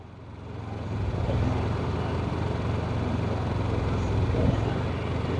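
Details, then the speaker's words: Honda EU7000iS (389 cc GX390 EFI) and Yamaha EF6300iSED (carbureted) generators under 1000 W load on 32 oz fuel each, about 45 minutes in: uneven wavering drone as both surge from fuel starvation, still putting out power. "the yamaha's surging at 45 minutes the Yamaha is surging at 45 minutes guys something's happening still putting out power they're both surging they're both surging which one's gonna turn off first"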